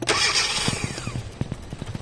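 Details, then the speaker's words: 2012 Hyundai Accent automatic with replaced ECU and new spark plugs: the engine catches, then sputters and dies into uneven, widely spaced firing pops when the accelerator is pressed. It stalls on throttle with no power; the cause is being traced. "Revolution mo, sir. Rev. Apak. Namamatay, no? Up. Pag nirevolusyon mo, wala."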